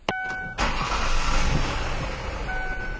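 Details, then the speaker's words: 2004 Ford Taurus with multiple misfire codes (P2195, P2196, P2197) and idle/performance problems; short crank, engine catches at once, idle decelerates and settles smooth, indicating the IAC is functioning. "eliminate all right well you can hear the car started up no problem and I don't know if you could hear it but um you could also hear the idle decelerate and right now it's idling quite smooth"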